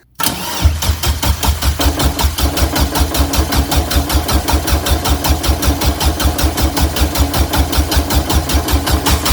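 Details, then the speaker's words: Turbo Suzuki Forenza with new turbo, turbo header and clutch, first crank with the fuel pump fuse pulled to prime oil. Even starter chugging at about two and a half pulses a second, engine turning but deliberately not firing. "now he pulled the fuel pump fuse see i didn't mess that one up so now he's gonna crank it over and prime it"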